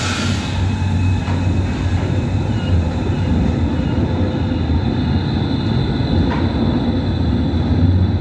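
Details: Tram passing on rails treated with high-tech rail lubrication: a steady low rolling rumble with no high-pitched wheel squeal; smooth, quiet wheel-rail contact.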